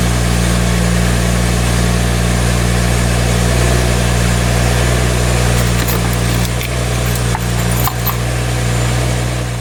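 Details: 2012 BMW 335i E93 convertible after replacing the broken chargepipe with a VRSF chargepipe: steady even low hum at idle, no knocks, misses or hiss of escaping boost; engine healthy.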